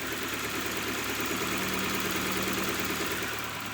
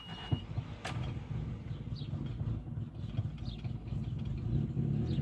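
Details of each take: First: Old hard-starting petrol car after a Sea Foam treatment and idle adjustment: engine idles steadily and evenly, no knocking, misses or hunting; owner credits removal of carbon buildup that caused pre-ignition and dieseling. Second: Old petrol car, hard starting, running low and uneven with lumpy irregular throb and charcoal-colored exhaust smoke; to be treated with Sea Foam.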